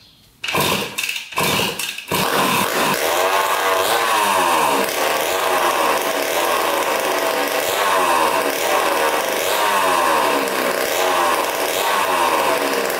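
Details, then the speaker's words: 1980 Honda CR80 barn-find two-stroke dirt bike, first start with fuel poured into the carburetor and no exhaust pipe fitted: a few sputters, then it fires and runs crisp and very loud with clean rev blips. Healthy, just unmuffled. "she fired right up man sounds really good actually holy cow I think it's so loud though without the pipe too bad I don't have a pipe for it"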